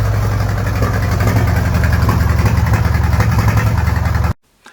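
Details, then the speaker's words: Fordson Power Major diesel tractor parked five years, started on two new batteries with the exhaust pipe removed; it chugs loud and ragged for about four seconds, then cuts dead from fuel starvation by a faulty injector pump. "even allowing for the exhaust pipe being removed the engine sounded like an absolute bag of spanners it did run for a time and then it stopped and nothing that I died would get it going again"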